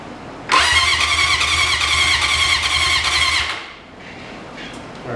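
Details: 1980 Honda CB750 sitting 35 years, ignition wires jumped to test for spark: starter spins the engine at an even, steady chug for about three seconds, then stops without firing; cranks but won't start.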